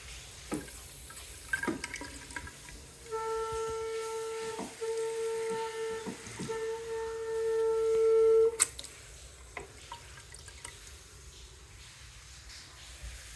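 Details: Steady high whistle from sink water pipes holding one pitch for several seconds then cutting off; occurs only when another faucet or sprinklers are running, cause not yet found.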